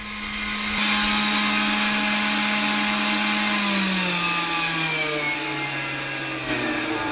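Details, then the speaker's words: 12-volt 3-inch vent fan for the battery and electronics cabinet (charge controller, inverter, batteries) in an ambulance conversion: loud, steady hum and airy rush easing slightly lower in pitch; normal fan running at high speed. "So what you were just hearing was my updated fan that's a vent fan for my battery cabinet, my electronics cabinet."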